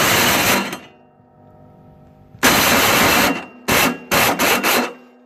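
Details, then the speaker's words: Toro Snow Commander 38602 single-stage snowblower, electric start attempt: short harsh grinding bursts, engine never catches; starter motor gear stripped and not meshing, starter to be removed; brown bad fuel also suspected. "take that starter out because we know that starter motor is trashed"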